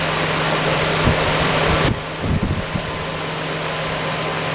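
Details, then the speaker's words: Lakewood HV-18C 18-inch chrome high velocity fan made in 2006, large heavy duty motor, on 121.6 volts, running on low: steady rushing air with a low hum and handling bumps, fairly fast low speed, slight shake, not perfectly balanced. "so there's low. And it's a decent low speed. It's kind of fast, but it's a powerful fan."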